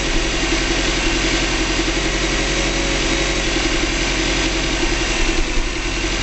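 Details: 2005 Subaru Legacy GT, first start after DIY engine rebuild, low on fuel: steady, even low burble at idle, no knocks, ticks or hunting; smooth healthy idle, no leaks.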